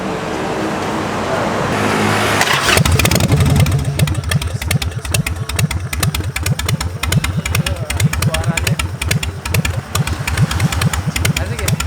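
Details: Harley-Davidson with a 1993 Evo 1400cc V-twin, freshly finished custom build: brief cranking, then it catches into a loping idle with even firing pulses, roughly two a second; normal, healthy idle.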